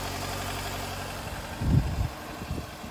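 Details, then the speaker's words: 2008 Nissan Versa CVT after the transmission pan was removed, some metallic debris found in one pan corner: low, even idle with one brief thump and no whine. Whine gone; fluid to be checked when warm. "Okay, Oh, this sounds really good. I think that whine went away."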